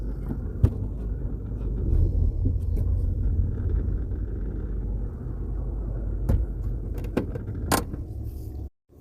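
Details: Automatic car at idle with brake held: one sharp clunk as the selector goes into gear, then lighter knocks. Owner says the first pull-away also clunks, later ones are smooth. Harsh transmission engagement, cause not confirmed.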